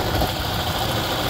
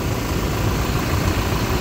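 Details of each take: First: 2016-up Toyota Fortuner: rough uneven idle with light metallic rattle from the front accessory drive; alternator rear bearing and pulley suspected, pulley still to be checked. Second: 2016-up Toyota Fortuner after replacing alternator pulley, rear bearing and drive belt: smooth steady idle rumble with no belt squeal or bearing whine; sounds normal without the noise.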